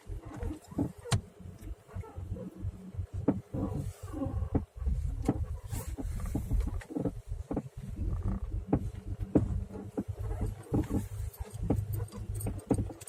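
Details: Suspension knock and squeak on a Nissan Legnum: irregular hollow knocks and short squeaks over road rumble while driving; new straight ball joints, used upper joints, no stabilizer fitted; owner asks if curved ball joints could cause it.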